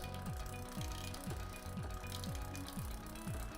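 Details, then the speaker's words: Bicycle rear derailleur after re-centring with the barrel adjuster, chain on the 5th sprocket, cranks turned by hand. A soft, steady chain run with light regular ticking about twice a second, no skipping: indexed and running quietly. "So that's now running nice and quietly."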